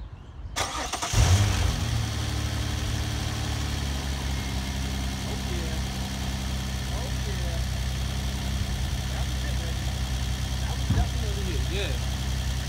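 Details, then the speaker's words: 2004 6th-gen Nissan Maxima, started after fixing an exhaust rattle by finger-tightening an overlooked loose part: cranks briefly, catches and settles into a smooth, steady idle with no rattle or knocking; normal start and idle. "Hopefully we are right where we're supposed to be and everything is sounding how the bitch did when we first put the exhaust on."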